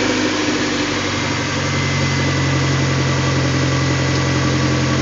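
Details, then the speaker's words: 2001 Honda CR-V 2.0L at idle during a manifold vacuum test. Vacuum was low until the exhaust was opened up; it is now about 20–21 inches, "much happier." Loud but steady idle with an even exhaust beat and no stumble. "much happier. A little noisy, but run."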